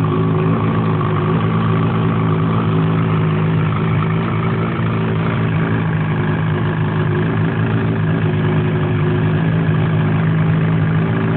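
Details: BRP 800 E-TEC two-stroke, cold engine: even low idle drone with a light metallic rattle on top; owner suspects piston slap, unconfirmed.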